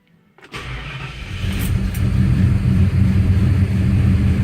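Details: Gran Torino V8 with big cam and MSD Atomic fuel injection, cold start at about 52°F after sitting four months; brief crank, immediate catch on the key without pumping gas, lumpy loping idle that sounds like missing but isn't; normal.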